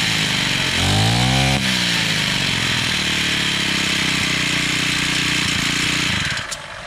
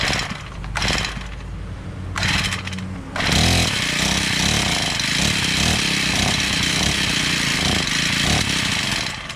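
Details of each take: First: Honda GX35 four-stroke brush cutter after carburetor replacement and low/high screw adjustment: engine picks up to a high buzz and holds steady and clean, no misfire or hunting; runs properly. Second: Honda GX35 four-stroke brush cutter, bought used: engine catches in short bursts, then revs raggedly under throttle and won't hold idle or keep running; faulty carburetor, later replaced.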